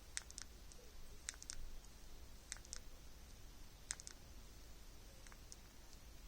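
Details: Samsung Galaxy Z Flip 6, three months after purchase: faint, sharp pops at irregular intervals in a quiet room as the folding screen flexes; screen popping and creaking.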